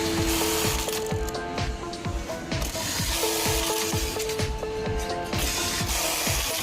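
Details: Brother 430D button sewing machine after X/Y scale and thread-cutting adjustments to reduce noise: steady light clicks about two a second with no rattle or grinding, over background music; running quietly.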